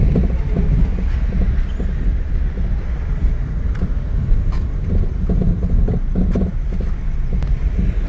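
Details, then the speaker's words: Maruti Suzuki SX4 diesel on a road trial: irregular sharp knocks over low road rumble while driving, noise in steering and when turning; steering rack badly worn and damaged, to be removed. "या गाडीचा steering rack पूर्णपणे damage झालेला आहे तर तो आपण खोलणार आहे."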